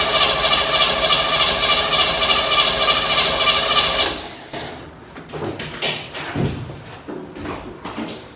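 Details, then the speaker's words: 1957 Chevy wagon small-block V8 with no mufflers: starter cranks steadily for about four seconds without catching, then stops; hard start, owner suspects the carburetor leaks or evaporates fuel from the bowls while sitting. "For some reason this carburetor either drains out the I don't know, leaks the fuel out of the bowls or evaporates."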